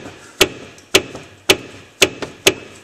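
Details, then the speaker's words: 1990s Ford Aerostar van with brake clunk complaint: sharp hollow clunks about twice a second as the upper control arm is rocked by hand; bad upper control arm bushing. "See this bushing right here? This bushing is bad. And whenever I move on this, that is going to be clunking inside there."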